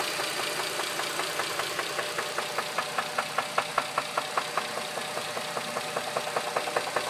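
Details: 2007 Dodge Charger 2.7 at idle with a loud, very regular sharp metallic knock about 2.5 per second after oil ran fully low on the interstate; persists after new lash adjusters, engine cleaning, plugs, valve cover gaskets.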